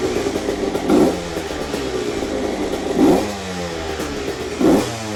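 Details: Rebuilt CR125 two-stroke with Pro Circuit pipe, cold start: crisp idle with three clean throttle blips, revs rising and falling freely, no knocking or rattle; normal idle and revving, engine running well.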